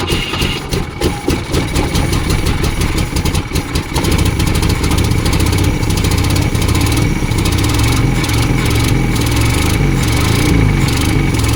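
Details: 1972 Volvo 145 four-cylinder after reconnecting missing plug wires: long cranking, then it catches and settles into a lumpy, uneven idle with a low rumble, now on all 4 cylinders but with a major vacuum leak.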